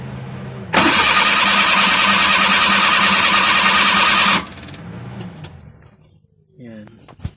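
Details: Suzuki Multicab F6A small carbureted engine, hard starting from contaminated fuel in the tank: loud, steady cranking for about four seconds that never catches; the fuel system could need tank, filter, pump and carburetor work.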